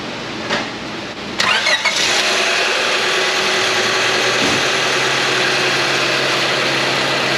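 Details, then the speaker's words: 2000 Honda Civic 1.6 L 4-cylinder, 219,049 miles, after repair for rough running and P0300–P0304 misfires: brief cranking, clean catch and smooth, steady idle with no stumble; normal start and idle. "All right, it is alive. Not too shabby."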